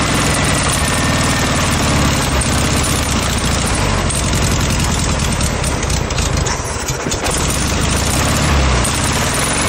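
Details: VW Beetle flat-four in a junkyard motorcycle build, swapped engine, fed fresh gas mixed heavy with two-stroke oil: loud, rough-edged but steady idle holding speed without stumbling; running normally on the new fuel supply.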